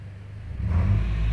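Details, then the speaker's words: Mitsubishi Lancer 1.6 with petrol/LPG misfire, running on petrol after cleaning dirt and broken plastic from the loose cylinder 1 injector plug: low steady rumble settling into an even, smooth idle with no stumbles. "[Muzyka] widać i pracuje równiutko Czyli po prostu luźna wtyczka na wtryskiwaczu pierwszym"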